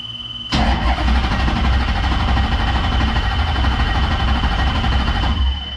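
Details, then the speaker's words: 1968 Dodge Charger with Hellcat engine swap, first start attempt; starter spins engine steadily about five seconds without catching, fuel pump not heard running, later confirmed not kicking on; crank no start. "i don't hear the pump on boys i don't i'm not hearing the fuel pump kick on but i don't know how loud that thing is"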